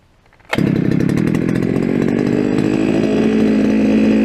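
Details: Brushcutter restarted during its first outing of the year, unused since last summer and on old fuel. It settles straight into a smooth, even high buzz with no misfires or hunting; runs fine and is ready for work.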